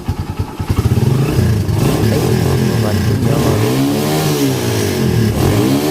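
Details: Kawasaki Barako 175 single-cylinder after rewiring full-wave charger to stator yellow wires: fires up, idles evenly, revs up and down cleanly with no misfire or hesitation; charging rechecked, running normally.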